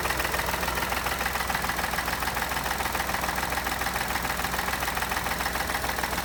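Steady idle with a sharp, regular tapping about three and a half times a second riding over the engine; knock of unknown origin.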